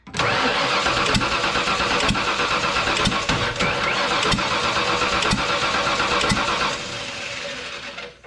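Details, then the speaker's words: 1995 Ford F150 Eddie Bauer 5.8 V8, valve cover off: sharp metallic ticks repeating over the running engine from a loose pushrod/rocker on cylinder one; owner expects to replace the engine. "it's popping through that hole right there one two four i think we're gonna be replacing the motor i don't know what the hell this is"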